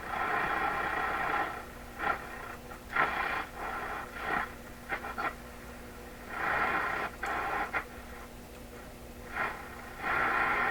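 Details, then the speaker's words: Florida AM/FM/SW tube radio after clearing tuning capacitor shorts, weak on AM and FM with slight power supply hum: hissing crackly static swelling and fading while tuning, no clear station; weak reception, cause not yet found. "Picking up all kinds of noise here."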